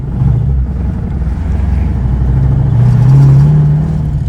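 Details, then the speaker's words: Ford Foxbody Mustang V8 under throttle: deep uneven knock in the low rumble, worsening, from lost oil pressure; engine destroyed. "oh this is bad you can hear it Knocking oh that hurts I can hear it Knocking bad now"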